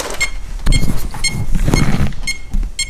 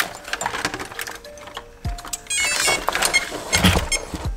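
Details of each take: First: Holmes Hobbies-powered Axial Wraith RC crawler after a hard hit: short high beeps about twice a second, no throttle, ESC flashing green, orange and red; no-signal warning, a receiver lead turned out unplugged. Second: Holmes Hobbies-powered Axial Wraith RC crawler after plugging the loose receiver lead fully back in: clean rising musical chirps from the motor, then steady beeps and short thunks as it arms and drives; ESC working normally.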